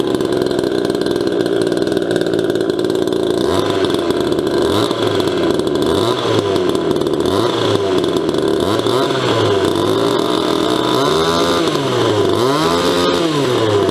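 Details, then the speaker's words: Restored 1977 Poulan Micro Super XXV Deluxe two-stroke chainsaw, ported and repainted: crisp idle with clean revs up and back down; normal running. "just thought I'd share how startled to show you what this thing sounds like sounds a lot meaner than it really is"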